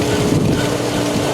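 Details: Polaris pool cleaner booster pump catching prime with air left in the line after draining the solar heater: loud rushing churn with steady hum on top as the pump works air out and stops cavitating.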